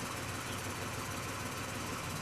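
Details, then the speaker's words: Idling car with AC compressor off: busy, rattly chatter that stops when AC is switched on; owner believes the AC compressor clutch-to-pulley gap is worn or loosening, worsening over time; chattering noise at idle. "I know one thing that has gotten significantly worse with this car is the AC compressor. So you can probably hear the chatter"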